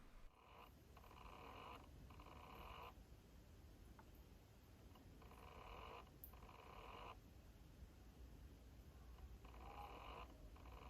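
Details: Toshiba Satellite 4000CDS laptop that shows the splash screen but fails to boot and doesn't recognize its hard drive: faint whirring bursts repeat every few seconds and never settle. The drive fails to spin up.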